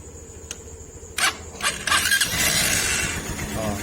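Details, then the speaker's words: TMX Supremo 150 motorcycle after draining water from flooded tank and reassembling carburetor piston and spring: a couple of starter clicks, then it fires promptly, holds an even note and revs cleanly when throttled; starts easily, healthy. "umandar na siya Okay so try natin siyang pigain Ayun oh Okay so good siya mga pre"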